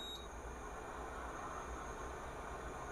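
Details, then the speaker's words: Induction hob with an aluminium rice-cooker pot on it: two short high beeps about three seconds apart over a faint fan hiss, an error because the aluminium pan isn't detected; only iron-based cookware is read. "tidak bisa dipakai ya untuk aluminium ini dia akan error tidak terbaca oleh induksi bukan tidak maksudnya tidak terdeteksi ya karena dia bukan logam logam besi ini yang bisa dibaca besi seng"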